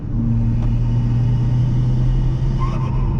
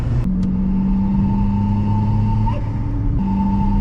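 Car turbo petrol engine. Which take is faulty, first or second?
second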